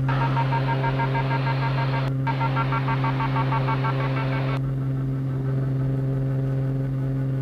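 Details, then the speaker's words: During full-power IFR takeoff climb from Lock Haven (LHV), PA: rapid ticking about three per second over steady engine drone, then abruptly stops; crew could not identify it, engine and airspeed looked good; never heard before or since. "I don't know what that sound is can you identify it Mike everything looks good"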